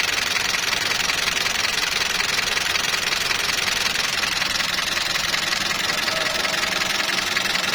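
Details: Toyota 2TR engine (Fortuner/Prado) just after cold start: fast, even ticking about three a second over a bright idle; suspected hydraulic lifters (tappets) hardened, tappets and oil pressure to be checked.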